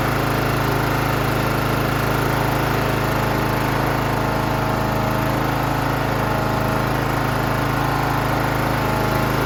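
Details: John Deere GT 275 Kawasaki engine after replacing a broken valve spring, with new valve cover gasket fitted dry: steady, even note with a smooth regular beat and no ticks or knocks; running healthy.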